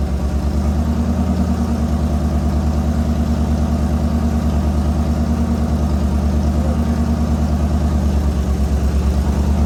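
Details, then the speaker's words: LS-swapped S197 Mustang, early start-ups after the swap, as the engine relearns its idle: deep, even V8 burble at steady idle with smooth regular firing and no knocks or ticks. Normal healthy idle. "well guys i've got to run a meter again so as you can hear sounds really good obviously when the rpm died down a bit it's when the motor started trying to learn how to run itself"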